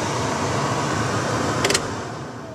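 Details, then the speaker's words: Car heater blower fan running before being switched off, heater hoses not connected, owner calls the fan a little noisy: steady airy rush with slight hum, no grinding or ticking; blower working normally. "that's the fan turned off so it's quiet fan's a little noisy but that's about it"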